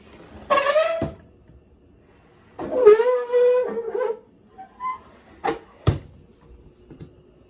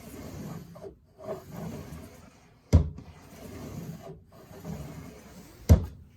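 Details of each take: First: Kitchen drawer with dry metal slide hardware gives loud, shrill squeals each time it slides, before lubricating with a Door-Ease lube stick. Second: Kitchen drawer, full of contents, glides in and out with a soft rubbing hiss and a thud at each stop. No squeak after DOOR-EASE lube stick was applied to the track.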